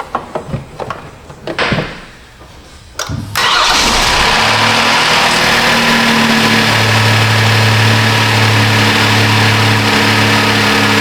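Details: 2015 Kia Sorento 3.3 GDI with intermittent crank-no-start, after diagnosis and reassembly: a few clicks, short crank, then fires into smooth steady idle with even low hum; starts and runs healthy.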